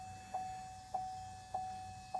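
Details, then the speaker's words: 2.8 Duramax Canyon/Colorado after fuel filter change, key on before start, heard in cab: steady mid-pitched whine with soft tick about every 0.6 s, louder as lift pump fills filter housing and builds pressure; normal priming. "and now it's getting [Music] louder it's continuing to make this noise where it's it's filling that housing and now you can hear it's starting to build pressure"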